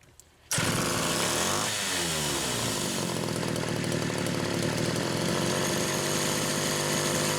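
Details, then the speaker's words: Chainsaw restarting with repaired SDC carburetor number 1, which passed its pressure test; choking flooded it, so it needed a little throttle. It fires at once, blips up and settles into a steady, clean high buzz without sputter. Runs well. "So anyway, carb number 1, we'll do a quick restart. I won't even give it any throttle. I think this one's good."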